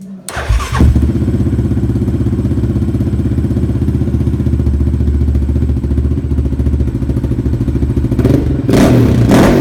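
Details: Yamaha Raptor after FCI intake install: single-cylinder starts, settles into fast, loud thumping idle with deep intake suck, then blips; owner thinks it is slightly rich at the bottom, lean on top, needing Dynojet retune.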